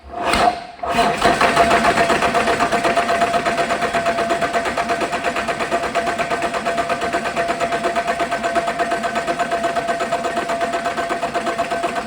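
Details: Caterpillar 3406E diesel from a haul truck, rebuilt and re-engineered for a different application, first test run on the shop floor after fuel priming with zero active codes: brief crank, then it catches and settles into a steady, even idle with light clatter; runs normally.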